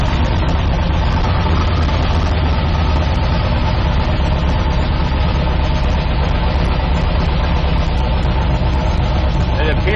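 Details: 1972 Nova drag build, trans brake applied in gear during transmission test after fluid drain (earlier 2-3 shift locked rear wheels); deep even rumble holding steady, no clunks, slips or flare-ups; trans brake holds, normal idle in gear.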